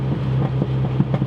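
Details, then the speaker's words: Rebuilt turbocharged MINI with built engine, larger turbo, upgraded transmission, during break-in driving: low engine drone broken by sharp exhaust pops, some in pairs; exhaust backfiring, unresolved issue alongside check engine lights. "Oh, those backfires. So I still have some issues to figure out with the Mini, but for the most part, it works."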